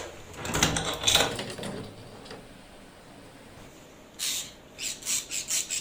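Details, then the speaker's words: PVC door handle squeaking sharply and high-pitched as it is worked, from a dry handle mechanism; fixed by lubricating it with liquid grease. "Bu kapı kolumuz gıcırdıyor Ya [Müzik]"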